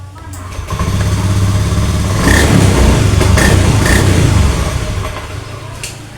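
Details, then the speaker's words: Honda Beat FI digital (ACG matic) scooter, MIL not blinking at key-on, starter works intermittently: normal idle, then on throttle it runs rough with uneven throb and dies; MIL blinks when the crank sensor wiring is moved, a broken crankshaft position sensor wire. "Oke stasioner normal kita coba G tuh mati pak"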